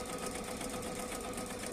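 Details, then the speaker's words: Sewing machine running with bobbin thread badly tangled on the fabric's back side: fast, sharp tak-tak tapping over the whir as the needle strikes and cannot exit, breaking needles; three needles broken. "Sound వచ్చినప్పుడల్లా sound టక్క టక్కని రావడం ఎందుకంటే back side మీరే చూసారు కదా అంత messy messy ఉంటే needle ఎలా బయటికి వస్తుందండి లోపలికి పోయి అది రాలేక నీడిల్ బ్రేక్ అవుతుంది"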